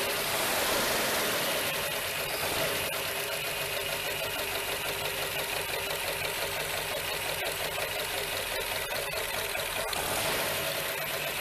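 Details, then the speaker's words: Lincoln Continental barn-find V8, first start in a long while after sitting, started with gas down the carb after wiring fix; steady, even unhurried idle with no misses or stumbles; normal idle. "sounds nice too God that sounds nice hasn't ran in a while can't beat that"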